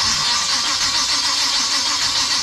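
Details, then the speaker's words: Big-block engine in an abandoned 1956 Chevy wagon, sitting engineless for years, with too much timing and a sticking starter shimmed with washers: even, hissy starter cranking with ignition off and no firing. "maybe we'll reset yeah he'll just crank it over and see what happens actually no no ignition"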